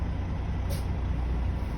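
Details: Truck diesel idling after startup during an in-cab CDL pretrip inspection, oil pressure up and ABS light out, in neutral; low, steady rumble with no knocks or surges; normal idle.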